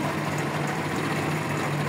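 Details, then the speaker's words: WS motorcycle, cold engine on a cold day, after repairing burnt wiring that caused a charging problem: smooth, even, not-too-high idle with no stumble or misfire while low and high beams are switched on; battery recharged, charging tested. "ahí como vemos fría o sea no se escucha tan revolucionada aparte Hoy es un día frío aquí en el Estado de México"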